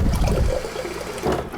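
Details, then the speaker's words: Refrigerator water dispenser after fixing the new-filter hammering by wedging a folded paper towel behind the slightly short replacement filter: smooth pouring rush into a jar, no knocking or hammering; good pressure, fixed. "No more hammering sound. Getting nice water pressure. And it's fixed."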